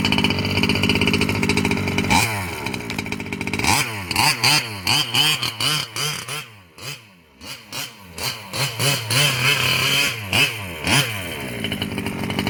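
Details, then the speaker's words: Losi 5B with OBR 34 two-stroke motor, first fire-up after rebuilding the bottom end following a failed crank bearing: crisp buzzy blips rising and falling cleanly with throttle, no grinding or rattle; the earlier terrible noise seems gone. "this is my first fire up since I rebuilt the bottom half and it seems like that terrible noise is gone"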